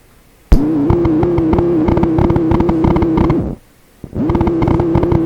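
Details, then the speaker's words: TACT TPR-61 mini battery record player on phono: buzzy rattling tone from the speaker pulsing a few times a second, starting and stopping with the motor; motor current variations likely coupled through the shared battery supply into the amplifier. "variations in the amount of current being drawn by the motor as it rubs and does various other things that variation could be transmitted through the battery power supply into the amplifier come out the speaker that's what it kind of sounds like"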